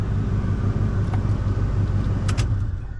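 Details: Ford Econoline 250 van: deep steady low rumble at even idle, about three pulses a second, no misses or knocks; idling normally.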